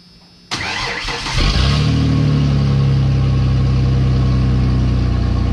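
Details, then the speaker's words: 2017 Ford F150 5.0 after replacing catalytic converters, only one cat installed: cranks and catches, then deep, loud, booming idle rumble; louder than hoped, second cat probably to be fitted. "yeah that's that's definitely a little louder than I was hoping for so I probably will put that other cat on there"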